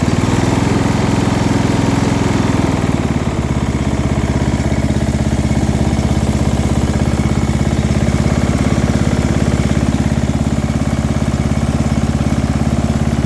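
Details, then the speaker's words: Small engine from quick build, with muffler, meant for a Murray project if no knock: steady idle with light low-end rattle underneath, not a heavy thumping knock; cause unclear. "i hear a bit of a rattle there [Music] is a bit of a low end rattle but it doesn't necessarily sound like a knock"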